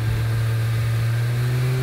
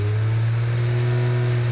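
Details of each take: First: Aston Martin DB7 V12 at part load during a warm-up temperature check after cooling-system work: steady drone with an uneven, stumbling pulse; the engine is misfiring at this speed. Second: Aston Martin DB7 V12 after cooling repairs, gauge temperature now matching OBD and fans triggering correctly: smooth, even low hum with no stumble or miss; engine now runs correctly at all speeds.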